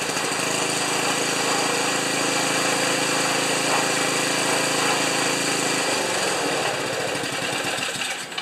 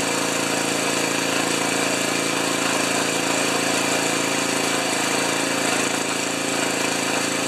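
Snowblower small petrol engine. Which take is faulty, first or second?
second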